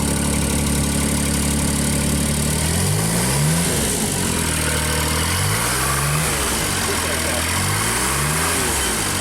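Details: JLG Baby Scissor lift small engine, cold day, new crankshaft position sensor fitted; idle starts even, then with a function engaged engine speed swings up and down every two to three seconds.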